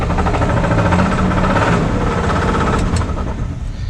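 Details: 1978 Plymouth Volare slant six, first run after sitting for years: rough idle with a dull knock about four times a second under the engine hum, before testing Lucas oil additive; source uncertain.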